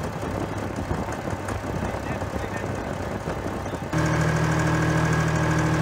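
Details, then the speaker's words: Case 485 loader tractor diesel at first start after head removal for coolant entering cylinders: idling steady with faint rhythmic puffing three or four times a second, an injector not sealing in its bore, leaking air and vapor past; still runs. "Injector isn't sealing properly in the bore, but it's no, it's not so bad it doesn't run, but we're getting little puffs of air, a little bit of vapor past."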